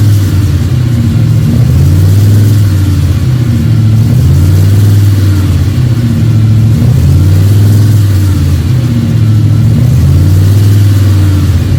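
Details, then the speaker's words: Freshly built 302 Cleveland V8 with a Holley Sniper and electronic distributor, about 20 minutes into cam break-in: steady idle with the odd gentle rise in revs, even firing, no knocks or misses. Running healthy. "Been going for 20 minutes now, and it's constant idle. I've been revving it up a bit now and again, so I'm happy with that."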